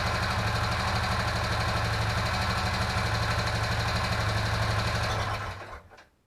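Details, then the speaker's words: Old Honda Foreman 500 ATV, first start after fuel restored: quick even tapping about three per second over steady idle with a pop; owner suspects a valve needing adjustment. "Got a little pop there. I had to bet, I bet that's a valve."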